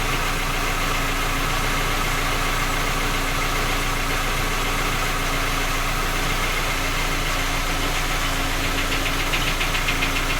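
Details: Skoda Octavia A5 facelift 1.6 MPI, cold engine idling: uneven light knocking riding over the engine, a couple of taps a second; three engine repairs done, fault still not found, engine keeps knocking.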